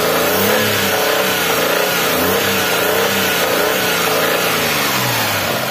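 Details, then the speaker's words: Daihatsu Xenia 1.0 at high rpm after ISC reset, oil change: steady high rev with a dry metallic "krang" rattle over the engine note from the primary and secondary balancer gears; normal for this engine. "to krang krang krang gitu ya memang suaranya gitu kalau Senia 1000 yo"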